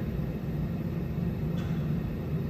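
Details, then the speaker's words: Temperzone OPA 550 package unit after replacing two burnt, faulty UC8 control boards: indoor fan blower motor running with a steady low rumble of air and motor, no knocks, scrapes or surging; runs evenly and healthy. "um you can hear the fan motor indoor fan blower blower what the that indoor fan motor running"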